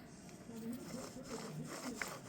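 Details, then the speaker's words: Journey hub assembly removed and spun by hand: rough, gritty scrubbing versus a smooth new hub; worn balls inside the bearing grinding, the cause of the roaring heard when driving. "Yeah, you can hear them scrubbing in there. That's that That's that roaring you hear when you're driving. Is the balls inside the ball bearing grinding up."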